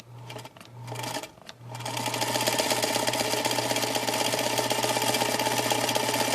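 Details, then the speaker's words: Old Singer sewing machine, cleaned up, run from its floor pedal. Quick, even chatter at about four strokes a second over a smooth motor hum: runs just fine. "As I step on the button, it seems to run just fine."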